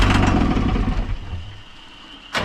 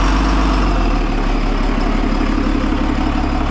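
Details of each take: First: Cummins diesel in a roughly 2002 Snap-on truck that sat about 10 years: starter churns about a second, no fire. Cranks but won't start; checking line pump fuel delivery, no return at the tank, and one wire pulled out. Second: Cummins-powered 2002 Snap-on step van revived after sitting about ten years: a deep, steady diesel rumble at an even idle with no knocks or misses, sounding healthy.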